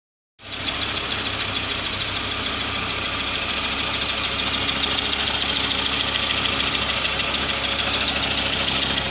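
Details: 1995.5 Audi S6 with AAN engine at steady idle: dense high-pitched whirring rattle from engine bay, unchanging; owner suspects serpentine belt tensioner, unconfirmed; abnormal idle noise.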